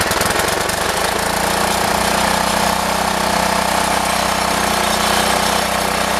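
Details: Rough-running Briggs & Stratton single-cylinder engine on an old 1960s–70s rototiller: chatters with a ragged, uneven beat and no steady rhythm; carburetor needs cleaning and adjusting.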